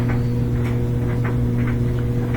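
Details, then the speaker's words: Samsung washer after fixing a DE door error by reseating the door latch spring (fault probably just dirt): steady low motor hum with a click as the drum starts; starts right away and runs normally, door error gone. "that did the trick we got rid of the door error and starts up right away so this one is probably just dirty"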